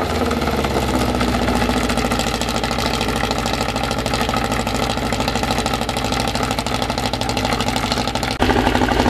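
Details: Freshly assembled 2054 engine on its first start after nearly a year of building, carbureted. A steady, busy fast idle around 1200 rpm with light gear chatter, even and unbroken; the idle is kept high for break-in and may be lowered later. Normal.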